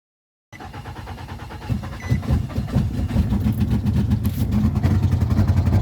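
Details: Nissan Altima that wouldn't start, running after fuel pump work and battery fix: after a short silence engine catches, settles into a steady low rumble and revs cleanly without stumbling; runs healthy.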